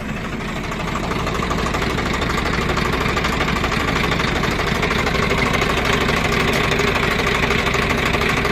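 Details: Swaraj 744FE diesel tractor with rotavator engaged after a stone jammed the rotavator: rough, regular knocking about twice a second from the gearbox/PTO driveline; mechanic suspects damaged 540 PTO gear teeth or clutch shaft, PTO gearbox bearing noise.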